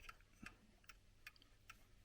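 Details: Mostly plastic or resin chiming clock bought at a car boot sale: crisp, evenly spaced ticks about 150 a minute with no skipped or limping beats. The clock is in beat and running healthy.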